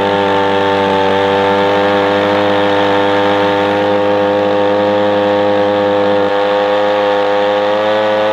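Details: Echo PB-250LN two-stroke leaf blower after opening the hidden high-speed carburetor adjustment screw under a brass plug below the primer bulb: steady high-pitched wail at full throttle, no sag or surging; runs faster and seems to blow a little better than before.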